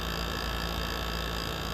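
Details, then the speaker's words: GE ASW05LKS1 window AC, rotary compressor, before clean and service, with high head pressure and the condenser reading about 160°F: a strained, harsh buzzing drone. Possible heat-wave damage is suspected: labored compressor, cause unconfirmed. "That's probably the unhappiest rotary I've ever heard. And I got a piper about to fly overhead. Listen to how unhappy this thing is. This is the worst I've ever heard it."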